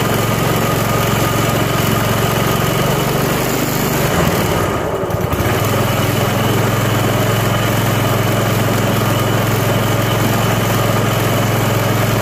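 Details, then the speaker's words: Self-propelled lawn mower, first spring start after winter storage and tune-up (oil, spark plug, Seafoam), cold at about 40°F on choke: single cylinder settles into a slow, steady, even putter after a brief stumble, no misses or knocks; normal idle. "and it idles nice and slowly because it's cold but it's running"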